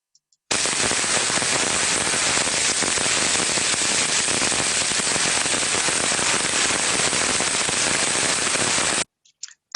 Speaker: this stage the level of damage is very minor because the sound is not repetitive yet so not all of the rolling elements might be actually impacting with the damaged area so it's a nice early indication that there's a problem